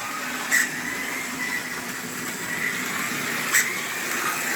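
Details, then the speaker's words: Vintage HO scale Grand Trunk locomotive, first run after purchase: steady high motor whir with a thin faint squeak on top, sounded ugly at first; dry motor, owner thinks it needs a little oil and wheel cleaning. "let's let her break in just a bit. But she's got a little squeak. Needs a little bit of oil."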